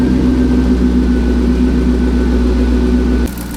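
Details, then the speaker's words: Turbo Corvette V8 at idle, with boost down from about 7–7.5 psi to 6 psi and a strong exhaust smell: a steady rumble with a light, fast tick from an exhaust leak. "Right now I just got to get it back to where it was by fixing this exhaust leak. So I'm going to crank it up and see if I can hear it, and then it's over there on that side, and then go from there and see if I can fix it."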